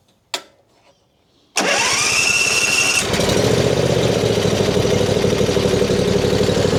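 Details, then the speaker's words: John Deere Z355E zero-turn mower, long-stored non-runner: fires after brief cranking then runs straight to high steady speed instead of settling; governor not holding it, suspected adjustment, actually a broken governor gear needing engine teardown. "So, it's usually the governor needs adjustment."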